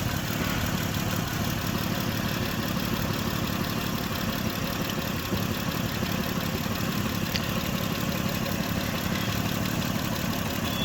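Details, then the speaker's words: 2006 Mitsubishi Pajero 3.8 litre, P0304: steady idle with a faint uneven lope from one dead cylinder; cylinder 4 misfire persists after coil swap, cause not confirmed. "So guys, we changed the spark plug and we still had that misfire on cylinder 4."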